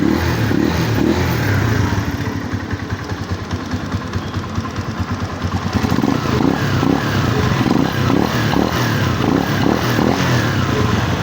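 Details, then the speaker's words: Microbike EXT motorcycle after tune-up adjusting loose tappets that caused loud engine noise: steady, even idle with low thumping beat and no ticking; valvetrain now quiet and healthy. "Yun mga boss amo, wala nang ingay yung makina. So kaya naman pala sobrang ingay kasi maluwag na yung kanyang tappet."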